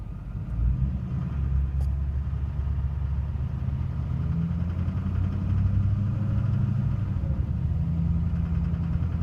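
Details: 2006 Duramax LLY diesel V8 idles with a deep rumble and a faint, steady knock riding on top; engine knocking noise, cause unknown.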